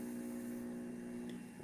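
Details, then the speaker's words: Juicer motor running at a measured 2.2 amp draw, then switched off: a quiet, steady, even hum that fades out, with no squealing, grinding or bearing grumble, so the bearings sound healthy. "Notice the motor is actually quite quiet. You're not hearing any squealing or grinding out of it."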